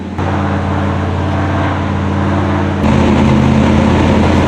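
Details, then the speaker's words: V8 idling around 1100 rpm, stalling below about 1200 rpm earlier; a deep, loping, choppy, uneven pulse that rises slightly midway, a lumpy idle probably from heavy cam overlap. "Really wants to be that lean. Yeah. Well, it's probably not real. It's probably just so much overlap in the cam."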